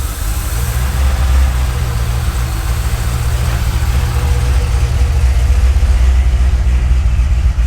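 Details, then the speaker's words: Wrecked C6 Corvette Z06, first run after sitting about 2.5 months in the shop once the no-start problem was found and fixed with local parts: deep, steady, even burble at idle with no misses, knocks or ticks; healthy normal idle. "She runs."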